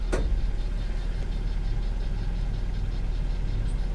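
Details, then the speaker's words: V6 car with a Shaker audio system at a salvage yard, just started: an even low idle rumble with no knocks or ticks that settles smoothly as the AC compressor engages; sounds healthy, normal idle. "it runs good it sounds good needs a good cleaning for sure but not too bad"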